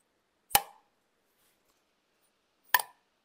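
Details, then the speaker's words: Mitsubishi Colt Ralliart 4G15 turbo head rebuild, valve just lapped, mic beside it: two sharp, clean ringing taps about two seconds apart, no buzz or rattle; valve seats and seals well. "donc maintenant je viens faire un petit test au bruit normalement ça doit faire ça doit faire un petit bruit comme ça"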